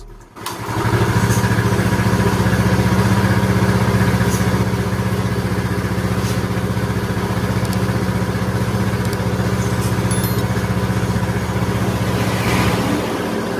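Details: Yamaha Mio Soul scooter, previously very noisy rough engine, first start after engine reassembly (kick-started dry first to raise oil): starts promptly, steady even idle about four beats a second, no ticking or knocking; normal idle.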